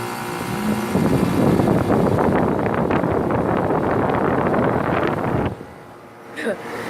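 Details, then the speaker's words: Rheem central air conditioner starting in cooling mode in cold weather: a harsh, loud rattling clatter during startup that cuts off abruptly, an abnormal startup noise. "Okay, that was a really loud noise that way to start it up."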